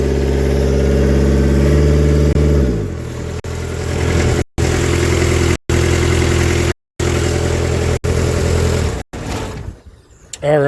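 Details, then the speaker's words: Kubota F3680 diesel 4x4 mower: engine runs rough, then stumbles and sputters with cut-outs and black smoke; it ran out of fuel, likely because the fuel pump got too little power during earlier battery problems. "so I actually ended up running the engine out of fuel that's why it was spitting and sputtering so bad"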